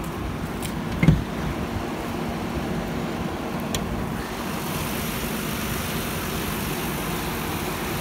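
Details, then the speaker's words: 2001 Nissan Maxima A33 3.0 V6, automatic, bonnet open: even smooth idle hum, no misses, knocks or ticking, one brief clunk; owner says it runs evenly and doesn't burn oil; normal idle. "он работает ровно в метро и ключевые длины масло не жрет"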